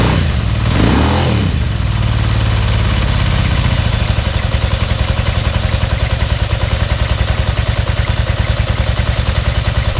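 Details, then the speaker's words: 1992 Ducati 900SS, fuel pump on, choke applied, cold start: cranks and catches, then slow lumpy uneven thump at idle; firing on only one cylinder due to a bad spark plug. "I know it sounds good, but also, just so you know, it's only hitting on one cylinder right now. It's got a bad plug in it."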